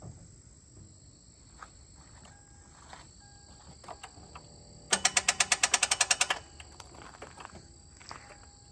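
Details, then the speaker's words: 2001 Lexus IS300 with 1UZ V8 swap, first start attempt: quick burst of about ten sharp clicks in under two seconds with no cranking; battery suspected at first, cause was missing engine-to-chassis ground straps. "are we sure this battery's strong enough cuz it sounds like that battery's [ __ ] dead cuz it should it it should crank over regardless"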